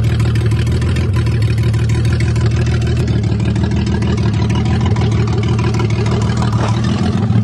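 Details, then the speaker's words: 1982 Toyota Cressida idling with the fuel pump switched off (it stalls when the pump is on): a deep, uneven chuffing with a raspy rumble, suspected big exhaust leak, source not confirmed. "She runs with the fuel pump turned off. Let's see. What a piece of shit. Sounds like I got a big exhaust leak."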